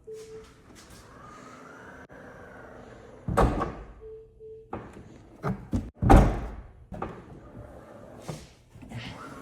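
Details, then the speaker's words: Tesla Model X power liftgate whose latch no longer latches, a temporary fix having failed: repeated thunks and clatter with short motor buzzes and no firm catch. Latch not catching; owner concludes a new latch is needed. "I think the latch is really bad. Let's try this. Yep, I 100% need a new latch."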